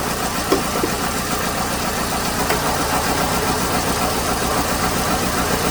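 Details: 2008 Hyundai Accent 2.0 idling with an uneven, stumbling misfire of about four beats a second; random and specific cylinder codes, Mode 6 data mostly blames cylinder 2, but testing found a failed coil on cylinder 3 and worn, fouled plugs.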